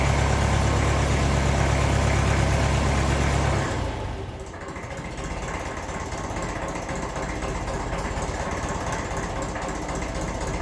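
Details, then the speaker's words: 1954 Ferguson 20 TEF diesel tractor, cold just after starting: even putter around three beats a second with faint blow from split silencer; idle holds steady, much steadier than before. "But at least it's a lot steadier. I don't mind a bit of up and down when it's straight away."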